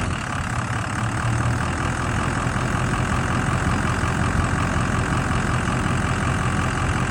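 Deep diesel idle holding speed but with an uneven, loping beat, about two pulses a second; rough idle, cause not pinned down.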